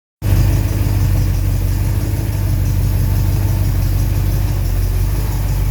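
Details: Second test run: deep, steady idle rumble with no high-pitched squeal; the belt no longer squeals and the engine idles normally.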